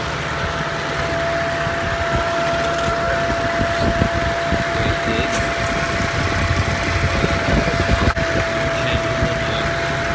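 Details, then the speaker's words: 2012 Mercedes C63 AMG W204 coupé, M156 V8 idling with a steady high whine, heard from left side, unchanged with revs; disappears after 2-minute restart, returns after hard driving; PCV valve suspected. "It does not change with the revs. I can open the okay. But the noise doesn't change."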